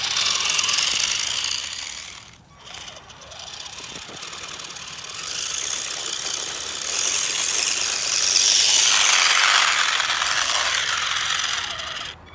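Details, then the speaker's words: HBX Transit RC crawler in low range while rock crawling: loud, shrill, fast rattling grind, three or four bursts a second over the motor; pinion and spur gears almost stripped, gears skipping. "all right so we're in a low range and I hear the gear skipping which is great [Music] and guys as you can see the gears in this thing are almost gone"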